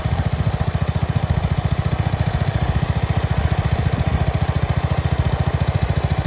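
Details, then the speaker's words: Red 1962 Bolens Ride-a-matic tractor started with a bit of choke after restoration work: a quick, even beat with no stumbles, knocks or skips, every firing pulse steady and alike, running very well. "we are back in the workshop now uh because just after that last clip where it was running very well"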